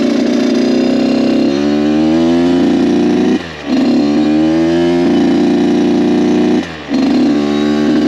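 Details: Kawasaki KX 85 two-stroke dirt bike, freshly rebuilt, on its maiden ride, shifting into third: crisp two-stroke rising cleanly through each gear with brief dips at shifts, surprisingly quiet, no odd vibrations or sounds; healthy engine.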